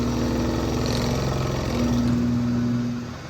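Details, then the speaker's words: OE two-piece driveshaft from a Ford Transit van spun on a balancing machine at about 550 rpm: heavy rumbling throb with pulsing beat, violently out of balance; center bearing runs quiet, no balance weights missing. "I can crank it up a little bit more, but not much because it's violently bad right off the bat."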